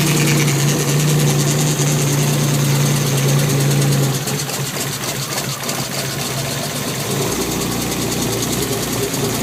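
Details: BMW E36 M3 petrol straight-six idling with a bad misfire: uneven, lumpy, stumbling beat with a low note that shifts as it runs.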